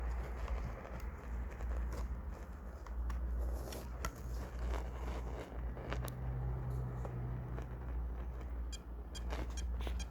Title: Hdd Buzzing sound problem. (Solution needed!)